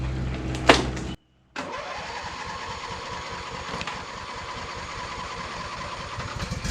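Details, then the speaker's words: Lawn mower (lawn tractor) first start after winter storage on ethanol-free gas, choke on: engine catches then runs unevenly with an irregular, stumbling, sputtering beat and smoke; rich rough running until the sticking choke is pushed off. "do your sputtering and smoking over there let's go get that choke off of it"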